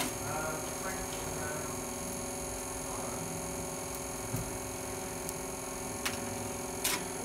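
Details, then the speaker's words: Graphene-enhanced concrete cube, 7-day cure, in a compression testing machine under constant load: sparse sharp cracks over a steady machine hum as the cube deforms and begins to fail. "can hear it start to crackling as well."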